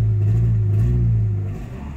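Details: Nissan 2.4 pickup with loss of power: on throttle the engine holds a flat low drone without revs rising, then sags; faulty MAF sensor reading abnormally, fixed by fitting an original Nissan sensor.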